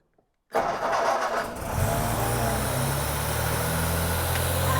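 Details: Freshly built engine, first start on original starter motor, statically timed at 1 and 6 flywheel mark, cold-start enrichment connected: cranks, catches cleanly, steady quiet idle, good compression, 4 bar oil pressure; possible fuel supply issue suspected.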